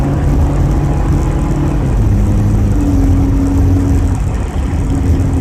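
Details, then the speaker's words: Car driven after hitting road debris at about 50 mph: loud, deep raspy drone rising and falling with revs, seeming to come from beneath, behind the wheels; exhaust leak suspected from the impact damage. "and now my car sounds like I flickin put a muffler like a ricer I just did a terrible job it's white where it sounds like it's like is coming from down here right behind the wheels"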